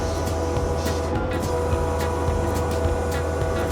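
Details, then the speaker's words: Skid steer (John Deere 317G or Kubota SVL75-2) lifting with pallet forks at full throttle, tilted back: engine holds steady while a constant mid-pitched hydraulic whine sounds as the system goes into relief at maximum lift, which is normal. "Full Throttle tilted back you can hear she's whining going into relief that's all she's got"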